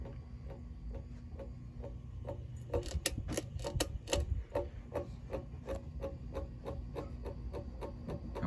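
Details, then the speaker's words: 36-inch Emerson Designer plastic 2-speed ceiling fan with good bearings: regular ticking knocks about twice a second over a low hum, louder midway. Switch housing noise is worse than average because of a cracked switch housing bushing. "bushing has a lot to do with that noise I mean of course he's always making noise with the switch housing but like I said this one's a bit worse than average due to that bushing"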